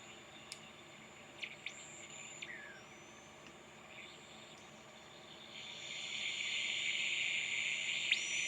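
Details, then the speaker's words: Newly built 7-transistor radio kit, first power-up before alignment: high thin whistles sliding in pitch over hiss as the dial moves; way out of tune but picking up something. "Way out of tune, but it's picking up something."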